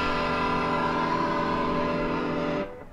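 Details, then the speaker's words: Used Ernie Ball 6165 stereo volume/pan pedal, heel-down where it should be fully silent: distorted guitar still rings through before fading. The potentiometer is misaligned with the pedal plate and a cord had come off its pulley. "Now I've got the volume all the way in this position here, which should attenuate the volume 100%."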